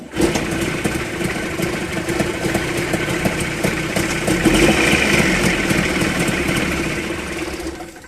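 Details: Mitsubishi 360 ME24 engine with piston-slap-like rattle (fan play suspected): after switch-off a steady swishing whir and hiss continues, like something freewheeling inside, then fades; cause unknown.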